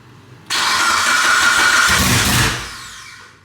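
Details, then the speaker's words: Mitsubishi Evo 9 built engine, new turbo setup, first start with TPS and new 5-bar MAP sensor not yet set: catches at once with a harsh, very loud raw roar and brief rev through an open downpipe, no exhaust fitted. "out it's going to be open down it's yeah that sounds loud that is super loud dude"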